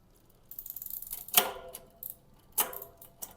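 Light freewheel ticking, then a few crisp single clicks as the chain drops onto each cog; shifting is quick and clean.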